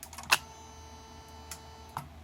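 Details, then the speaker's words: Bench test of a repaired Mercedes E320 throttle actuator and throttle control module: sharp single relay clicks over a faint steady electrical hum as power to the computer is switched and the throttle actuates; normal operation. "the computer make distinctive clicking when the power is active that's the relay activate in it"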